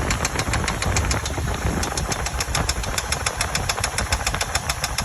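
Sharp, uneven knocks, about 100 a minute, stand out clearly over a rough idle; the knocking's cause is not yet found.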